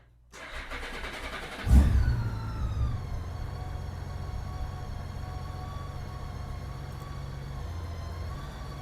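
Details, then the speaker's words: 2008 Honda GL1800 Goldwing after an oil change with the old battery due for replacement: sluggish, labored cranking before it catches and settles into a steady idle. Slow cranking, battery suspected. "Yeah, it was slow starting, but we're going to check it."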